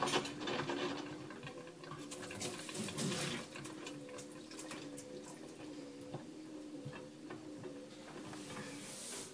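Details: LG WM3470HVA front-load washer in wash cycle, drum stopping and rotating slowly: low motor hum, water sloshing, irregular clicking grind; no sound on fast spin; owner asks if normal.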